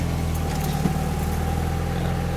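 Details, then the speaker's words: 1991 Mazda Miata MX5, cold, after engine temperature sensor replacement and codes cleared: smooth even low hum with steady beat, no misses, knocks or hunting; idling where it should. "Now she's cold right now, so she's idling just where she should be, and let it warm up, check for leaks, and it should be perfect."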